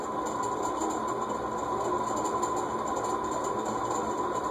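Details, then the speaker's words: Circa-1991 cast iron Heat Recovery Systems L-356 ceiling fan, previously locked up and freed with WD40, on medium-high: even rushing hum with a high ringing tone and gritty hiss; dry, dirty top bearing. "yeah so let's go medium high yeah there's definitely some more dry and dirty bearing noise you're hearing there"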